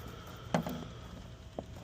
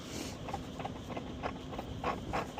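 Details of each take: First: Fujitsu outdoor unit with a general trip error, after power cleared about 10 minutes and restored: a couple of sharp relay clicks over a faint low hum as it responds; compressor later found bad; may need low-ambient settings. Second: Fujitsu mini-split at about 10°F outdoors, tripped on code 94, standing pressure about 60 psi: fan spins up, then a rough, rising mechanical rattle and groan as the compressor tries to ramp; the compressor was bad and the condenser was replaced under warranty.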